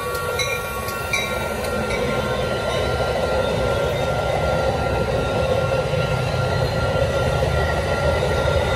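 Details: Replaced Union Pacific crossing E-bell, scratchy since 2015, rings clean and steady over loud train rumble and wheel noise with no scratchiness; crossing bell working properly after replacement.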